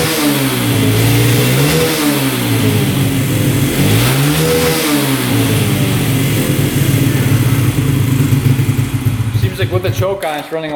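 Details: 2011 Yamaha Raptor 125 quad, tested with the gas cap off: revs surge and drop every couple of seconds and won't hold idle. It stalls with the choke off and runs better with the choke on; owner suspects fuel starvation, ruling out the tank vent.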